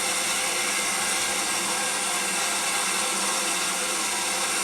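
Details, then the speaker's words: Main Eco 30 combi boiler after replacing the 10-litre expansion vessel, PRV and air vent, mains opened to refill toward 1 bar: steady loud hiss of water rushing in, air venting from the top vent, filling the expansion tank. Normal refill. "You can hear it rushing in. I can also hear the air escaping from the vent at the top. It's going to fill the expansion tank."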